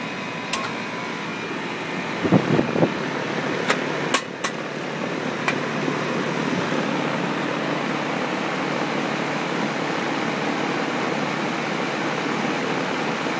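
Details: Central Environmental Systems electric furnace with a 3-ton Rheem heat pump (made 2001, installed a year or two ago), wired for cooling only, at start-up: a few sharp clicks, then a steady, even fan and compressor hum; runs normally.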